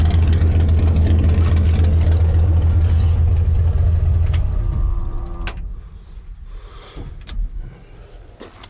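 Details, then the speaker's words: 1968 Dodge D100 Sweptline pickup, engine running while parked after vibration on drive: heavy rhythmic thumping, three or four beats a second, under exhaust drone until shutdown; U-joint cap fell out, driveshaft flopping on one side of the U-joint. "i'd say that's definitely a u-joint or drive shaft or something back there"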